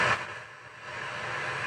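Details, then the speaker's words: Early-1970s Sansui 600L stereo tuner amplifier on a dim bulb tester, speaker on left channel, FM selected, volume low, no antenna: steady even hiss between stations with no hum, crackle or dropouts; normal FM sound. "that's sounding pretty good. That's what FM should sound like."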